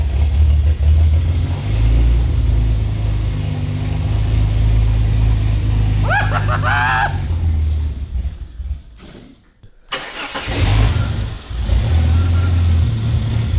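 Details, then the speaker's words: Ford Fairlane turbo build on a Haltech ECU, first start after fitting the MAP sensor line: deep lumpy idle that sags and nearly dies, picking up only with throttle blips; barely idling and running very rich. "We've got it to sort of run and we can sort of get it to idle very rich, like really rich."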